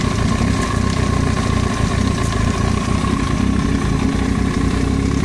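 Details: Yamaha YZF-R1 idling with a small blip: light fast tapping on top of the engine note, foreign noise from the cylinder head; top-end ticking, cause not confirmed.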